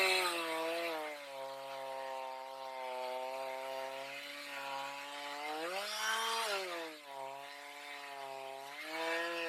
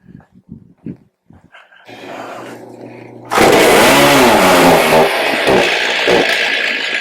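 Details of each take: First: Stihl MS310 after carb adjustment (set four-stroking rich, LA screw reduced until chain barely creeps), cutting very hard cedar: clean, steady two-stroke note that bogs slightly in the cut and recovers; runs properly, but dull chain with rakers too high. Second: Stihl MS310 chainsaw after storage, bad gas previously drawn into carburetor: catches and runs rough and heavy, bogging badly instead of clearing out, dog barking; dirty carburetor needs cleaning.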